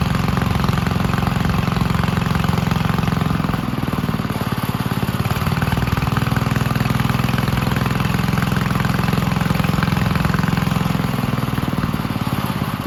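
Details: 1951 Gravely Model L garden tractor single-cylinder, running after fitting a hotter backup magneto (original gave weak spark) and cleaning an oil-filled carburetor; chugging with a loose, slightly wandering beat but no cut-outs, ignition firing; normal running.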